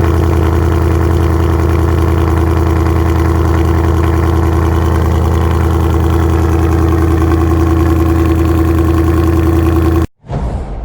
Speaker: I'm in the Velocity Raptor 3.0. How about that cold start? Things are looking up.